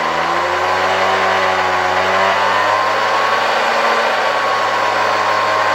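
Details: 1972 Hoover 1346A vacuum cleaner, restored and reassembled, run at reduced voltage through a voltage regulator. Steady motor hum and whine climbing in pitch as it spins up, loud and droning. The motor was much quieter outside the housing; owner blames the assembled parts together.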